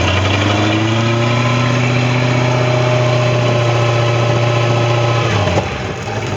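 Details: Boat engine that had been sitting, wouldn't turn over due to the breaker, now with a new impeller: steady, even idle with a smooth low drone easing down near the end; starts and runs normally.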